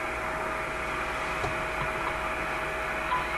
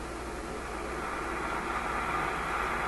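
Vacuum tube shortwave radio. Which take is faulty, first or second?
second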